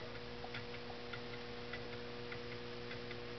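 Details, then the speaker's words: Homemade low temperature differential Stirling engine on a cup of hot water that has cooled a little: light, even ticking about twice a second over a faint hum; runs smoothly. "you can see the linkage working there on a good boiling cup of water i think it runs a little over 120 rpm"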